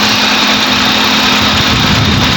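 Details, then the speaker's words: Kia/Hyundai car at warm idle after engine fan repair: both radiator fans now switch on as temperature rises, with a steady hum and even air rush; coolant disturbance suggests a blown head gasket. "Fan दोनों इसके चल रहे हैं। लो ये हवा की वजह से ऐसे हो रहा है। फ़ैन दोनों चालू हैं, अभी फ़ैन सही हो गया,"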